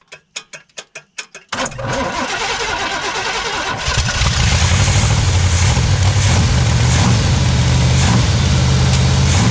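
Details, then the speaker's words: 1977 Pontiac Firebird V8 drag car revived after about 36 years sitting abandoned; a few slow cranks, then catches into a strong loping idle; idle screw adjusted down from high; normal running. "wow man that thing sounds really damn good shoot that is incredible that is incredible everybody man that thing's got some power"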